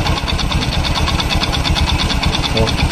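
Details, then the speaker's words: 2013–2014 Honda Beat fuel-injected scooter at idle: quick, regular metallic ticking about three per second that rises with rpm; suspected loose piston, not confirmed. "truk trek trek trek seperti seher longgar lehernya seperti ada kelonggaran berada di genteng"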